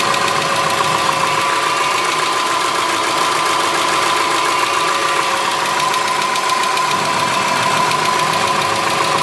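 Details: 2003 Subaru Forester, 178k miles, about 150 miles after repair of a dropped valve guide: light tick of three to four a second at low idle. Exhaust valve lash on one cylinder was 0.029; adjusting the valves cured it.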